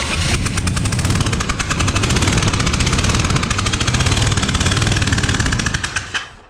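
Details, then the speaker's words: Freshly built 427 on first start-up, distributor corrected 180 out: loud, sharp puffing chuff every cycle over rough idle, like a driver-side header leak; a spark plug was left out. "what you got a hell of a header leak where the hell is that coming from which side I it sounds like it's right in my face like it's the driver's side"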